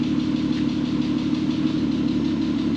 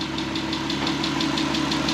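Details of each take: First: VW R32 started after 10 years sitting, following a correctly redone timing chain: steady, even low hum with no knocks or misses; idles smoothly and healthy, only a slight ticking noted. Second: VW R32, first start after 10 years sitting and a timing chain redone: steady idle with light, even quick tick, likely valvetrain noise that may settle as it adjusts.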